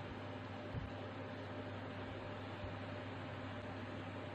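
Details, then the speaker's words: Clip fan that hummed but wouldn't spin due to a seized armature, after repair: quiet steady low hum with soft even whoosh, no grinding; motor spins freely, normal running. "දැන් පේනවා ඇතිනේ ඔයගොල්ලන්ට මේක හොඳට වැඩ කරනවා."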